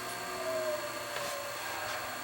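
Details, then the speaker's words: Sony VO-9800 U-matic SP broadcast VTR playing an old tape, likely Ampex, with sticky shed syndrome: a wavering, whistling howl rides over the steady transport hum as the shedding tape sticks to the heads; heads then cleaned. "Of course, of course the heads clog. Are they really clogged? I can hear the tape sticking."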